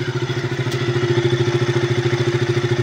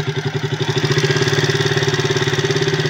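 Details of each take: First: KTM RC 200 after an overhaul with aftermarket valves, once the valve clearances were corrected with two replaced shims: steady idle with an even low thrum and only a light, normal valve tick; the earlier loud ticking and stalling are gone. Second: Ayun yung tunog niya. So titignan natin yung valve nito bakit ganito yung tunog.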